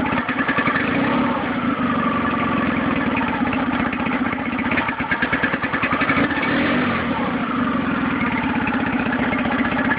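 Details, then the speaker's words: Nissan 9.8 outboard on its first start, on cold day, with choke on, started on the third pull, with a fast, choppy idle that swells and sags unevenly. Owner suspects it's not warmed up enough or needs off-idle adjustment. Rough idle. "So, started on the third pull. It runs. It's a little rough."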